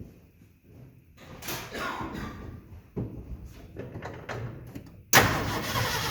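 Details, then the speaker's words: 1969 Ford F100 in the garage, briefly started after installing Pertronix electronic ignition with 12 volts found at the coil: quiet shuffling, engine catches at about five seconds and holds a steady even run; normal start and idle. "Okay, so it's running it's running."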